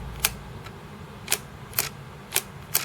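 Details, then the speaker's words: Amstrad CPC 6128 floppy disk drive powered from a temporary switch-mode 12 V supply: sharp, irregular dry clicks, about five in three seconds, over faint hum; drive head keeps moving, misalignment, drive likely faulty. "so we might need another drive on this uh there's definitely something wrong with the drive"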